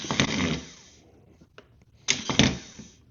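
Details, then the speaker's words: Mower starter motor bench-tested with a jump box: two short, clean whirs spinning up freely with no grinding or clatter, and no weird noise. The starter is healthy; the owner suspects the battery was the problem. "mean, it works fine. It's not making that weird noise either. So maybe it was just the battery."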